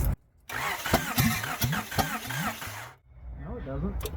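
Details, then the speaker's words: Honda engine after sitting 4 years, top end redone with valves lapped, exhaust not bolted up, firing order unchecked: starter churns unevenly, a few puffs but never fires, steam seen; cranks without starting, owner suspects flooding. "I think we're flooded right now it sounded like it was gonna fire but then it didn't"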